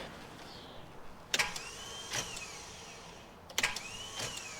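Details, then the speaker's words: Project car after rewiring the neutral switch (red/blue and green joined): two short bursts of high starter whine with no engine turning; starter spins but doesn't engage, owner fears it isn't reaching the flywheel. "So, it spins, but it's just not engaging right now. The worst thing that I'm thinking of right now is that it's actually not hitting the flywheel."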